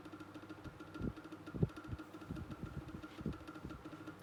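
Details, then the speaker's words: Micromark oscillating fan after motor servicing, medium speed: steady hum with thin whine plus irregular ticks and thumps; repair attempt failed, motor still noisy but usable. "Well, I mean, I tried to fix it, but it's obviously, in truth, it was obviously still there. Yeah, I could still use it and everything. It's just going to make that noise."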